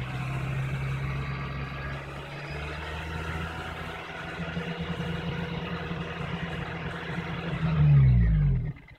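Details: Honda Civic Si at idle, worst when the car or weather is cold: a thin, steady high-pitched whine over the engine, holding pitch until a brief rev and shutdown; squeak/whine from the engine bay.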